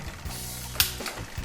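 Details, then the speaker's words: Bike with 1x10/1x11/1x12 rear derailleur, upshifting to seventh sprocket: quick light metallic clicks as the chain pushes against the bigger sprocket; chain clicking from excess cable tension. "seventh even more noise and when you're listening to this noise it's important to try to uh to um find out whether the chain is rubbing against those um uh uh on the left on or on the right side"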